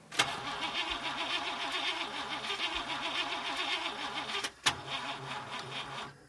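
Steady fast starter whirring with a wavering cyclic beat, a brief pause, then more cranking; the engine turns over but does not catch.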